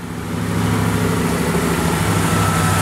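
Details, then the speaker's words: 1986 Ford LTD Crown Victoria LX, 5.0 Explorer V8 with GT40P heads and Mustang A9P computer, during KOER cylinder balance test: raised idle with uneven, loping exhaust beat and recurring stumble as one injector is cut, sounding like single-cylinder misfire. "you can hear the change in the exhaust note and how the engine's running here how here how how the exhaust note changed that's basically what a misfire sounds like one cylinder is completely complely"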